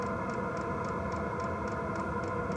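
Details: Wippro 8kW all-in-one diesel heater from Temu, new, at start-up: crisp evenly spaced fuel-pump ticks about three or four a second over a steady fan hum; priming normally before it fires.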